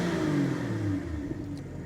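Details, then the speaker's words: 2023 BMW M240i salvaged from a wreck, running on distilled water in place of coolant to check the system for leaks: clean rev falling smoothly back to idle with no knock, rattle or stumble; running healthy, normal rev. "It's looking like it's running pretty healthy. Got no issues thus far."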